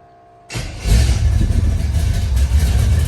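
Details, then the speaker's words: Carbureted V8 truck, carburetor primed, first start: short crank then it catches and settles into a steady low rumble at fast idle; starts and runs normally, with known exhaust and valve cover leaks. "It's alive. Whew, kind of. We got some leaks to fix, which I knew about it, but I haven't really got to hear it run."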